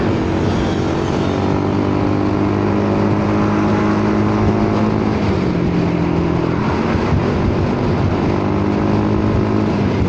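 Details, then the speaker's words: Honda Forza 300 scooter with an aftermarket exhaust, after trying to re-seat the loose sliding baffle. Dull, choked drone lacking crispness; the baffle slid up and plugged the outlet, making it quieter but lacking top-end pull, though low-end response stays good. "โอ้ดังลั่นเลยอะลันก็ลันโอ้โหเสียงเหี้ยมากอะเสียงแรมเปี้ยนเลยเฮ้ยมันขึ้นมาอุดว่ะเสียงแบบนี้"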